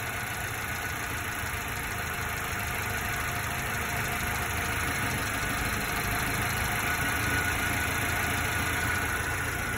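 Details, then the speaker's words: 1990s Subaru Sambar KS4, fully warm, after setting distributor timing and idle mixture about half a turn, lights off: steady, even idle with a smooth quick beat and no misses or knocks; normal idle. "and then our idle let's just go by sound here yeah nice sounds good"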